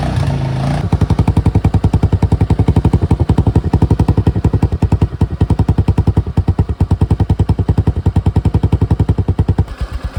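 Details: Suzuki Access scooter idling after its rusted, holed silencer was repaired and given a high-heat coating: steady, even single-cylinder putter at about three and a half pulses a second, no rasp or puffing; normal sealed exhaust note.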